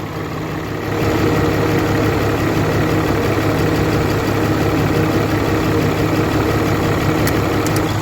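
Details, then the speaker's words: 2013 Ram 3500 fourth-gen Cummins diesel after a cylinder head replacement, idling after a test drive: a steady, even, smooth beat with no misfire, knock or stumble. Idles fine, but smells of oil; it doesn't look like coolant is being pushed, and the turbo is leaking. "just took her around she runs really good idling fine just stinks as all smells like oil doesn't look like we're pushing coolant"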